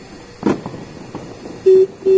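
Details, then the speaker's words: 2018 TVS Ntorq 125cc scooter with 3-year-old battery, sudden no-start: faint click then two short beeps, no starter cranking, battery icon shown; weak battery, later replaced. "Yes, ये sign है battery low का."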